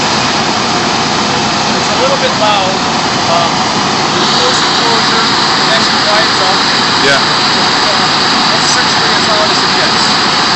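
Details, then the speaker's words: 20 kW whole-home natural gas outdoor standby generator on manual run with its cover off: steady, even drone with an airy hiss, no knocks, surging or hunting; running normally. "you know what it sounds like to me though what's that it sounds like I'm the only guy on the block with uh generator"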